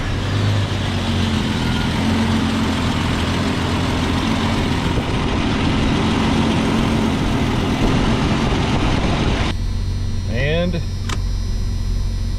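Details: 1991 Jeep Cherokee Briarwood after alternator replacement, first start: steady, even low rumble with no knocks, misses or squeals; idles smoothly, gauge showing about 14 volts.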